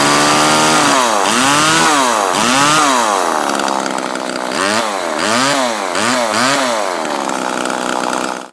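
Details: Homelite LX30 (Super 2-type) chainsaw after a carburetor kit (K10-WAT) replacement, warmed up, air filter refitted; quick throttle blips climb cleanly with no stumble or sputter, so it runs well.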